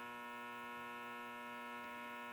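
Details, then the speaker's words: Antique Philco 46-480 AM/FM/SW radio tuned to 90.1 FM: a constant low mains hum with steady overtones, caused by interference from nearby lights getting into the radio. "That interference is my lights."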